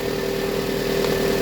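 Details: Toyota RAV4 after a no-start fault was fixed: smooth, even idle with a steady low hum and no knocks, misses or surging; the engine runs cleanly and sounds healthy.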